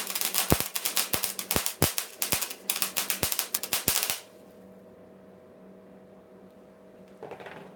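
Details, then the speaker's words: 130-amp gas/no-gas MIG welder on flux core, first use, on steel: about four seconds of uneven popping and sputtering; too far away and too fast. Advice: keep the tip close. "try again so I was too far away and too fast that's all Tino Micah says keep the tip close"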